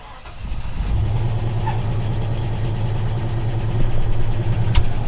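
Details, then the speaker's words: Engine just revived: it catches and runs with a lumpy, uneven low throb that bogs and nearly dies on acceleration. The owner suspects bad fuel and an exhaust leak, possibly a dead motor; the cause is unconfirmed. "I think we got some terrible fuel in here. So when I start to accelerate, it actually starts to die on itself, and it's starting to run a little bit better."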